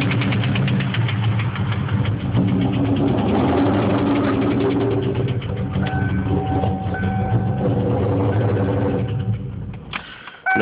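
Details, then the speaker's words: 1996 Mustang SVT Cobra with stage 2 cams, 81,000 miles: started knocking, lost all power and wouldn't idle right after cruising at 40 mph; no check engine light, only ABS light. Rough idle with heavy knock about three per second; rod knock suspected, unconfirmed. "I was driving down the road the other day, passed a cop at 40. Right after I passed the cop, car started knocking, lost all power, wouldn't idle right."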